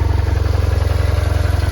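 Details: BMW R1100 RT boxer after no-crank repair (alternator slip-ring brushes, starter and battery replaced): steady, even low thump about twenty pulses a second with no misses or clatter; idles smoothly and sounds healthy.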